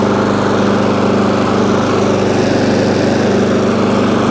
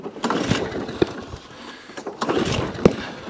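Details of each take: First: ATCO lawnmower, about 21-inch, Briggs & Stratton engine, after cleaning corroded HT lead: steady even buzz, no misses or surging; runs, though it stops when drive released and throttle jammed, drive cable suspected worn or rusty. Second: ATCO lawnmower, Briggs & Stratton, heavily primed, fuel coming out of air filter (working or flooding): scattered sharp pops every second or two, won't keep running; failed Champion spark plug suspected.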